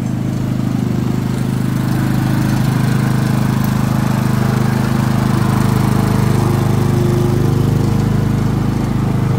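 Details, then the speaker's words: Harbor Freight Predator generator that ran badly and made little power, now running without the muffler spark arrester: deep, even, steady drone with no surging or misses; runs perfectly after the fix. "there you go purr's like a kitten now so there you have it generator runs perfectly like it should"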